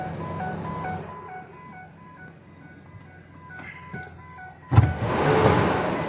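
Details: 2007 Ford E350 passenger van: a chime repeats in quick, even beeps over the running engine; the AdvanceTrac with RSC stability-control warning, cause not yet found during diagnosis.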